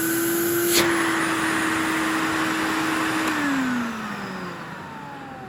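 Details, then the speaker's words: 1984 Electrolux Diamond Jubilee vacuum: a steady motor whine that drops in pitch as it spins down, with a faint rough undertone from mildly worn motor bearings that need repacking or replacing; airflow and suction are still good. "it's never going to sound new obviously but it could sound a whole lot prettier if i repacked them or if i were to replace them"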